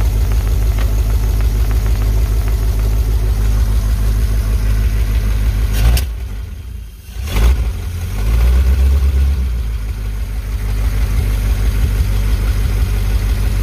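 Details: 1951 Pontiac Chieftain first start in revival, no radiator, electric fuel pump on 12 V boat battery, 6 V system: steady, fairly even low idle with loud, raw, unmuffled rumble; exhaust broken off before the muffler.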